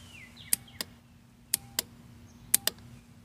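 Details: 1991 Yamaha Champ YFM100 ATV: sharp, dry clicks in pairs each time the start button is pressed, with no cranking; the solenoid still works but the starter motor has failed.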